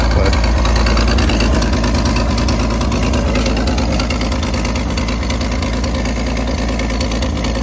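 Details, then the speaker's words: 1931 Chevrolet Independence 5-window coupe with believed-original 194 inline-six "stove bolt", three-speed manual; steady, even low rumble at about three pulses a second with no knocks or misses; nice smooth idle. "you can hear running along it's got a nice idle"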